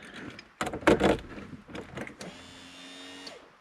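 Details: VW Golf Mk3 fuel pump with replaced pump motor, bench-tested dry on power outside tank: after handling clunks, small electric motor spins up to smooth, steady whine for about a second; pump works.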